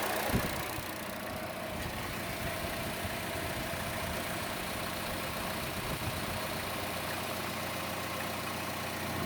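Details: Chevrolet Cruze engine at idle: a light, quick tick over a steady idle, louder than the normal engine tick and more noticeable on the belt side; the camera moves around to locate it, and the source is unclear.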